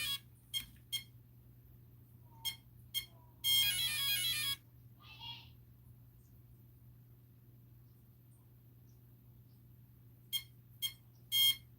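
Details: Castle Mamba Micro X2 speed controller with Castle 1010 4400kv motor in a Typhon Grom RC car repeatedly beeping after power-on in short high groups with long gaps; binding to SLR300 receiver not completing during troubleshooting.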